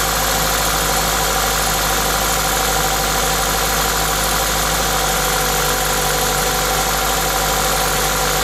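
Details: Toyota 2ZZ-GE engine with an induction kit: steady, even idle with a loud airy hiss from the induction kit, no knocks or misses; normal idle.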